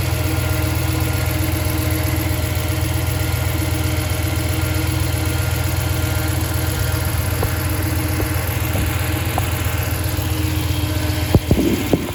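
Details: 2014 Ram 1500 V8, 68k miles, just after a non-MDS cam and lifter swap: a steady high whine over the idle that climbs with revs and persists with the belt removed, so it is internal; camshaft whine suspected.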